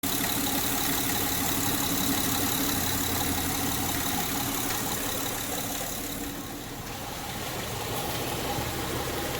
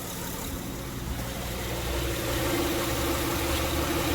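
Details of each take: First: 2006 Honda Pilot, warmed up, idling in Drive with the parking brake on under load: light, uneven ticking over the hum, also in reverse; fixed by replacing the drive belt tensioner; the timing belt tensioner was recently installed. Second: 2006 Honda Pilot, warmed up, in Drive with parking brake on under load: steady even idle with low hum, serpentine belt auto-tensioner ticking gone after replacing the tensioner.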